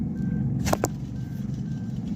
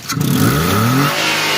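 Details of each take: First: 2022 Suzuki Alto engine running with a low rumbling whir and faint thin whine from the alternator, worn alternator bearings. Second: 2022 Suzuki Alto after replacing the alternator bearings, alternator reinstalled, light rev and release: pitch rises smoothly and settles cleanly, with no whine or rumble; the earlier alternator noise is gone.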